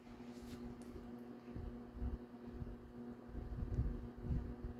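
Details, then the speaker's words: Vornado 280SS 10" variable-speed desk fan from the mid-1990s, on lowest speed drawing about 0.93 A and 45–46 W. A quiet, even motor hum with soft air rush and no rattles or ticking: smooth normal running. "it's pretty quiet it's moving moving a lot of air for you know just low speed"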